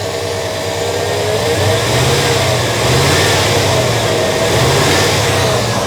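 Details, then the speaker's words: GM truck engine, cold, mic on the fan side away from the exhaust: two throttle blips and a heavy rushing air roar rises with each rev, the fan clutch staying locked and pulling lots of air when it should freewheel cold. "all right so the fan is pulling uh quite a quite a bit of air across the radiator right now with the engine being cold that's not really what you want uh unless your air conditioning were running"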